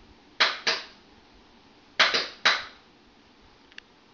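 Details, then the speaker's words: Contactor on a practice board wired like an air-conditioning unit. Closing the low-voltage switch energizes the coil, which closes the high-voltage contacts and lights a lamp. Sharp crisp clacks in pairs as it pulls in and drops out; clean and healthy. "That when I complete this low voltage connection, it does something to the coil in this contactor that closes the high voltage connections."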